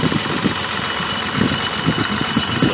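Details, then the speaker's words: 1986 BMW 528e (E28), first start after spark plugs refitted, tachometer not working: uneven idle with irregular low thumps and a lumpy beat that never settles; running rough, combustion gas test showed no head gasket failure, cause not yet found. "it sounds like crap but we'll test some exhaust gas at least we'll have an idea what's doing"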